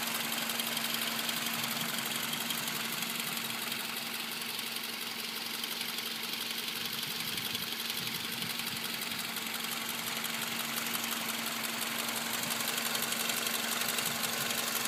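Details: 2005 Toyota Camry 4-cylinder petrol at idle; busy metallic rattle over a steady hum; engine rattle at idle, owner suspects a bad water pump, cause unclear.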